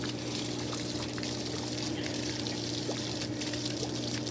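Steady splashing pour of water with no letup, draining straight out of an open cleanout that has lost its cap.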